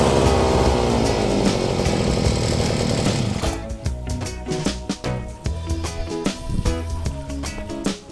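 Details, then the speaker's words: Tanika backpack grass cutter just reassembled: steady buzzing two-stroke run for a few seconds, smooth and even with no misfire or knock; sounds smooth and healthy. "suaranya halus"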